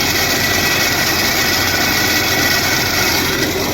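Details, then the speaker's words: Vehicle AC compressor clutch making loud noise in traffic, engine running: steady rushing grind with a thin high whine; the clutch pulley is jamming and not turning freely, judged a bearing problem; AC clutch pulley bearing failure. "ये देखो ये घूमने नहीं रहा ये रो रहा ये bearing के समस्या"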